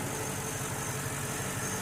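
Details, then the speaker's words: 2002 Mercedes CL500 V8 idling before warm-up, after replacing the spark plugs, plug wires and coil packs. A quiet, even idle with a steady low hum and no skips or stumbles: it runs smooth with no misfire. "all right i think we got it she sounds smooth no misfire no rough idle"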